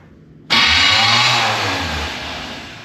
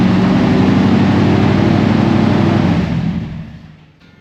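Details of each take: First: 1991 GMC Suburban R1500 with 168-tooth flexplate and offset-bolt starter: harsh, loud metallic grinding on cranking, engine not catching. Starter suspected and replaced. Suspected starter grinding on crank. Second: 1991 GMC Suburban R1500 5.7 TBI after replacing grinding starter with offset-bolt starter (168-tooth flexplate): engine runs, shuts down, then restarts instantly without starter grind into even idle; normal start.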